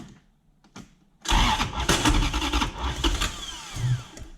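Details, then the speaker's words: BMW E36 coupe with a swapped Gen2 Toyota 1UZ-FE V8 (standard igniters, airflow meter fitted): cranks, almost starts, stumbles with irregular pops and coughs back through the intake, never idling. It was worse the day before, and the ECU is to be examined. "and it's popping back through the intake he was doing it much much worse yesterday"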